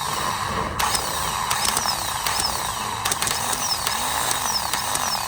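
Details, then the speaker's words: Old starter motor from a 1998–2010 Honda Accord, bench-tested with jumper leads after sometimes causing a no-start: a harsh, rattling grind with clacks and falling whirrs as the gear pushes out and turns, unlike the smooth new starter. "for this one I can hear there's a lot of grinding noise uh when the uh um the starter push the gear out and turn I can hear a lot of grinding"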